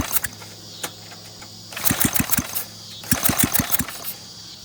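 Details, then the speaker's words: Rebuilt Briggs flathead minibike engine on its first run, no exhaust fitted, possibly a blown head gasket, 103°F day. Sharp uneven pops come in short bursts between pulls, catching a few strokes then dying. Sputtering, intermittent firing. "is trying to run thank you sounds like a firing right there as far as it goes"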